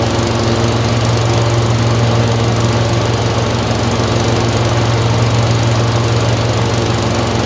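Low steady thump of a twin at idle with an uneven beat and a skip about twice a second, a random misfire.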